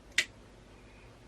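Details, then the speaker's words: Relay being wired with a switch trigger during a 2JZ-to-E46 conversion fuse block wiring: one crisp click as the switch is thrown, then quiet; relay pulls in as it should. "it should click yep i think you can hear double click look now it's gonna click yep"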